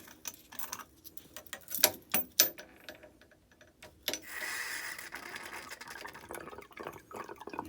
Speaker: hear it gurgling. So it's draining.